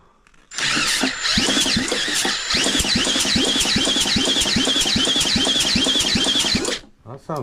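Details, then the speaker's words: Yamaha XS650 after top-end reassembly (cylinders, pistons, head, cam, valve gap set), spun over with a drill, thumb over a spark plug hole. Even puffing about 2.5 per second over the drill whine; compression sounds strong and healthy. "put my thumb over the other spark plug hole see if I can do this put my thumb over here yeah yeah that sounds promising"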